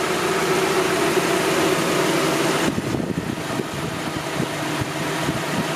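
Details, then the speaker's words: Honda H22 engine (Project BB6) at idle after tensioner work: steady idle with light quick ticking about four a second; the valve lifters need adjusting. "that noise I don't know if you can hear it on camera but that noise is the uh the lifters you know they need to be adjusted which is one of the things I'm going to be doing pretty soon"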